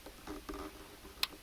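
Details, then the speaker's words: UV air cleaner in ductwork being diagnosed: safety micro switch under a mounting screw clicks when the screw is tightened: one crisp short click over faint handling ticks; switch closing properly, normal safety switch click. "So this screw right here has a micro switch underneath it. If y'all listen real careful, listen now. So you hear that click? So, alright, so I'm tightening it. It's going to click when I tighten"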